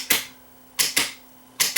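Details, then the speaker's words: Vintage Realistic 8-track player on the bench after belt service. The program button is pressed and the head steps through tracks 1–4 and back to 1. Crisp single clicks come in pairs about every 0.8 s: the track selector is working normally. "verify that the head moves through the four positions track 1 track 2 track 3 track 4 back to track 1"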